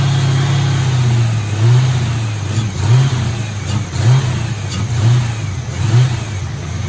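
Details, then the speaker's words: Original 1986 Mustang GT V8, long-sitting: idle surging about once a second while the fuel pressure gauge barely reads and the pump primes weakly. Owner suspects a bad fuel pump or the pump hose in the hanger. "All right. So, I'm pretty confident we got a bad fuel pump here."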